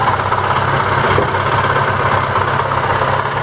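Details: Daewoo Lanos 1.4 MeMZ 317 with no oil pressure: dull loosely spaced knocking about two a second under rough idle, localized to the clutch housing/gearbox rather than the cylinder head; flywheel looseness near cylinder four suspected.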